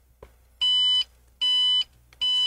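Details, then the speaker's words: HP Omen 30L desktop (GT13-0024) powers on, with graphics card light, CPU fan and lights running, but shows no display. It gives three long, shrill beeps followed by three short ones. A bad graphics card (RTX 2060) is suspected, possibly bad RAM. "I'm going to press the power button in the front you can see the the graphics card light came on CPU fan spin the rim light comes on and you can hear the three beeps that is the long three beeps"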